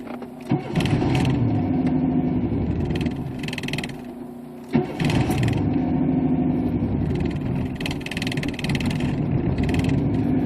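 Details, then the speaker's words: 1992 Chevy Camaro V6 batch-fire, 176,000 miles, new distributor, coil, wires, plugs and injectors; needs five to six key turns, worse when cold and since adjusting idle air control valve; long cranking then rough flaring idle; hard starting, owner suspects idle air control valve. "it usually takes between five to six times of turning a key depending on how cold it is outside and it used to catch a little bit quicker when I didn't mess but before I started messing with the idle air control valve"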